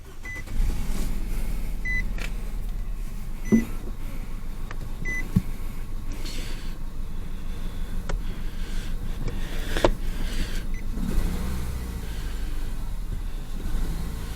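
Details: 2022 Nissan Rogue with cylinder 3 misfire code and knocking: engine catches into uneven idle with recurring stumble after swapping coil packs; misfire stayed on cylinder 3.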